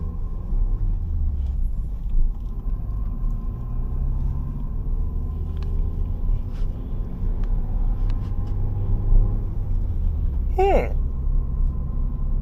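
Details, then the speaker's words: 2014 Ford Fiesta Ambiente 1.4 Duratec on the first drive with new Radar Dimax Sprint 195/50 R15 tyres: a smooth, low, steady road rumble without the woo-woo noise the old tyres made; the tyres run quietly. "And so far I'm not experiencing it. Let's pull it. Okay, this is sold as a high performance low noise tire. And when it comes to noise so far, I think it's a check for me"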